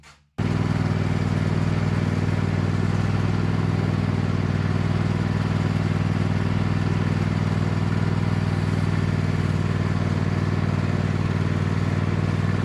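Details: Neglected Cub Cadet lawn tractor after fitting an Amazon knockoff carburetor kit, on a test run: steady, even single-cylinder beat holding constant speed under load, no misses or surging; runs much better than with the old carburetor.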